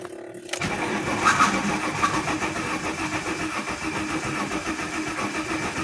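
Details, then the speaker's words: Alfa Romeo 164 2.0 V6 turbo, crank-no-start, on an assist battery with a somewhat worn starter: engine spins briskly with even compression pulses about three or four a second but never fires; fuel pressure next suspected. "okay clearly it goes It goes fast also you can hear compression but you can check that also"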